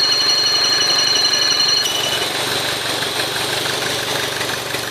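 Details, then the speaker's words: Opel Astra J idling: a thin, steady high whistle from the front crankshaft seal, where sucked-in air vibrates the seal lip; it sounds like a pulley but isn't one. "Это свистит сальник коленвала передний. Через него начинает засасываться воздух, и кромочка рабочая вибрирует. Именно вот такой звук."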